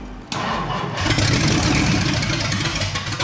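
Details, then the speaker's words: 1962 Mercury V8, after fixing fuel pickup hose at top of tank so pump sucks fuel: cranks, catches and settles into quick, light, even patter like a big sewing machine; running normally, coolant leaking at thermostat housing. "Oh, there, look. It's going now. So it sounds like a big sewing machine."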